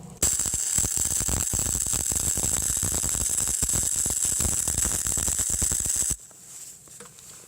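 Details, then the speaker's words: Eastwood MIG 135 with 0.030 flux core wire, power turned up but wire speed unchanged, metal already hot; loud harsh hissing, spitting arc with irregular crackles instead of smooth sizzle; voltage too high for wire speed. "So I'm going to turn it up a little bit first, turn up the power, but not the wire speed, just to show you what that looks like."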